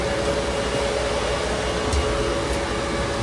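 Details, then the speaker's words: Fog Hashing C6 dry cooler, modified with resistors to stop odd fan noises at start-up: a single fan runs at about 10–20% speed, drawing roughly 25–26 W at 228 V; a soft, even airy hum with no rattle or pulsing, normal and quiet. "with the sprayers we actually did it so it will be only one fan super quiet actually almost going to 10% now it will be between 10 and 20% totally fine up to 40 Watts"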